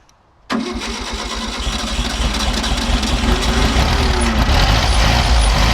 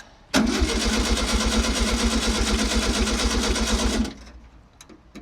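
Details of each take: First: 1964 VW Beetle on original carburetor, reused base gasket: engine fires at once and settles into steady, even idle with gentle low thrum, no misses or knocks; runs fine, but clutch faulty, would not engage gear. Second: 1964 VW Beetle, unrun for almost 20 years, cranked on temporary 12V with coil cable-tied: starter spins briskly about four seconds, roughly two compressions a second, no firing; cranks but won't start, carburetor suspected, found full of gunk.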